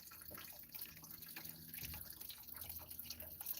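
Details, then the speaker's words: 2006 Matrix during thermostat replacement, fan assembly removed: quiet irregular gurgling and sloshing as lower radiator hose is squeezed, showing coolant still in the system draining slowly. "you can hear it slashing in there when I'm squeezing the hose hose squeezing the hose you can hear it slashing in there so that's what I'm saying they're still Cooling in it"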